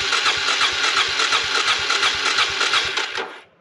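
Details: Suzuki DR350SE abandoned dirt bike, after a new battery and fresh gas: the starter whirs with steady compression pulses of about three a second, but the single never fires; crank, no start.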